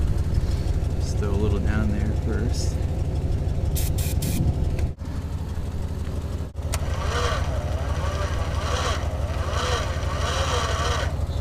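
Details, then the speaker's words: 1963 Dodge 330, sitting about 25 years, cylinders pre-lubed: slow cranking at about three beats a second that never fires, battery too weak; owner borrows the Durango's battery. "is turning she is turning he's more juice let me steal a battery from the Durango"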